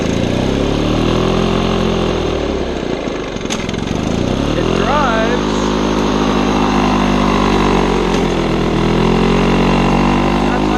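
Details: Old Lawn-Boy two-stroke mower running mixed gas with its air filter missing: a ragged note whose pitch keeps sagging and climbing every few seconds, running very rough and hunting RPM though everything works mechanically.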